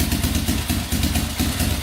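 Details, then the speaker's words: 2004 Yamaha Raptor 660 quad after cleaned tank, fresh fuel, new gas line, straightened exhaust and an added quart of oil: quick steady single-cylinder putter, evenly spaced pulses, no misses or hunting, not smoking, idling perfectly. "Here we go. Not smoking. Idling perfectly. Alright, that's awesome."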